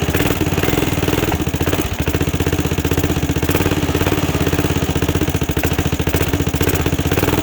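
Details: 2006 Zhejiang Kangdi 250cc kart single-cylinder with big-bore cylinder, first run after rebuild, exhaust just fitted: quick even popping at steady idle, no knocks or misses; normal idle.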